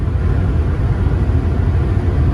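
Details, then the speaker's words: Diesel truck after seized turbo actuator replaced, cruising around 70 mph without pushing hard: low steady drone with road rumble, no knocks, whine or surging; normal cruise. "So far it's going good. Cruising at around 70 miles an hour."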